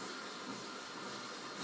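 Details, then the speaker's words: Diamond-coated drill bit cutting glass with water pooled in a guide ring for cooling: steady wet hissing grind, even and unbroken, no catches or chatter; bit cutting properly. "I'm going to take my drill. You hear that grinding?"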